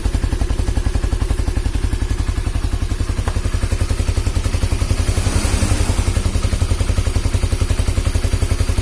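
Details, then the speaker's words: Honda CB150R, single cylinder, after a head compression leak that sprayed radiator coolant was repaired and the engine rebuilt. An even, steady beat around idle, firing smoothly with no ticking or knocking. The engine is healthy. "hai oke Alhamdulillah sudah halus untuk suara mesin memang motor ini itu banyak sekali kendalanya"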